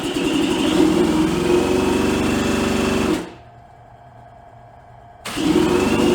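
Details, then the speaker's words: 1986 Suzuki LT250R two-stroke ATV, sat for years, first start after carburetor float fix: buzzy, uneven high run for three seconds, cuts out, fires again. Very smoky, and owner suspects oil mix richer than the intended 40:1. "Woo! That counts. That counts as a start."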